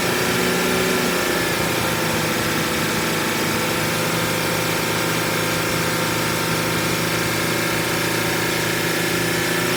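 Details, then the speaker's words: 2014 Mercedes Sprinter W906 316CDI, OM651 4-cyl turbo-diesel, approx 230,000 km, idling just after EGR valve and intake manifold cleaning and reassembly: steady, even diesel hum with no knocks or misses, sounds healthy and settled. "but eventually the engine will start if you've put everything back together correctly, and it actually sounds quite good."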